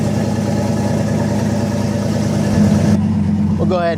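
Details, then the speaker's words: Boost-ready 5.3 LS V8 on E85, just swapped into a Nissan 240SX S14, first cold start in a chilly shop; oil pressure about 65 psi, steady even idle with smooth rumble, no knocks or ticks; healthy. "look like 65 lbs oh baby she sounds"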